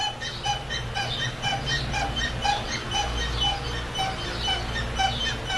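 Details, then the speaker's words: 2004 GMC Yukon with sharp, high-pitched squeaks about twice a second as the front bumper is pushed down and rocked, the same noise heard while driving: suspension squeak, seemingly coming from further back. "can hear this noise. And that's what I hear when I'm driving, and I'm gotta get rid of that noise."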